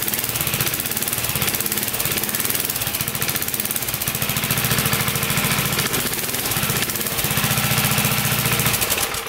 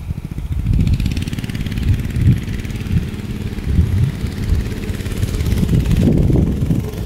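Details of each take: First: Barn-find mini bike small single engine, unrun for over 20 years: fast rattly running with a possible faint metal-on-metal squeal being lubricated to make it stop; source of squeal unclear. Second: Barn-find minibike's small single-cylinder engine, sat 20-25 years, after oiling a squealing shaft: steady low drone rising and falling with throttle, no squeal or whine on top; oiling the shaft fixed the metal-on-metal squeal.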